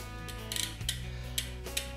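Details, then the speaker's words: Bicycle rear derailleur after adjustment with correct spring tension, shifting to lower gears during slow pedaling: crisp quick clicks as the chain drops across sprockets over a freewheel whir; shifting clean and fast. "Teraz zrzucanie za zrzucanie już jest odpowiednia siła napięcia sprężyny nawet przy wolnym pedałowaniu widać jak pięknie łańcuch nam to zrzuca Możemy też wrzucać co kilka bardzo pięknie i szybko to działa"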